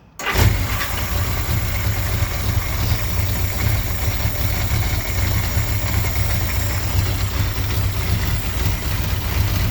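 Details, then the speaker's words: 1981 Honda Goldwing after a single-carburetor conversion and vacuum fix, fuel pump primed by cranking with ignition off: fires up instantly and drops into a steady, even low burble with no stumbling or hunting. Starts and idles cleanly, the easiest start in a long time. "i'm not going to lie that was probably the easiest it started in a long time"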